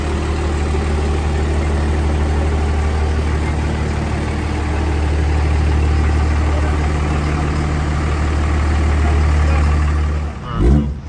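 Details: Second-gen truck swapped from a 5.9 to a 6.7 Cummins with bigger injectors, big turbo and a full manual valve body transmission, on its test drive warming the transmission: deep, steady diesel rumble rising gently under load, no knocks or clunks; normal running.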